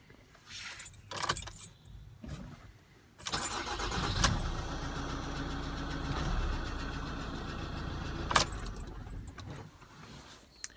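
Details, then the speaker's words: Ford Transit Custom diesel that wouldn't crank (engine malfunction/start error) after the earth point behind the headlight was cleaned and lubed: cranks, catches promptly and holds a steady, even idle before shutdown; healthy start. "put it all back together start the car happy days"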